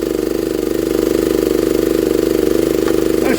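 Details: 1960s Honda ED250 DC-only generator, likely not run in years, revived; meter reading about 14.6–18 volts DC output. Steady single-cylinder thump, about 3.5 beats per second, even and unbroken; running extremely well, healthy.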